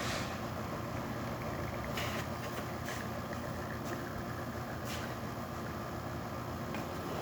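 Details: Rocket espresso machine, final test shot after a completed service. A steady, even pump drone with no surging or rattling while the shot pulls. Normal espresso pump operation.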